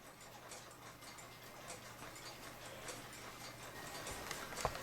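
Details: Waterbury parlor/kitchen pendulum clock with storm glass and thermometer, strike missing parts; faint, even tick-tock at a steady pace under soft room hiss, equally spaced beats, so the clock is in beat.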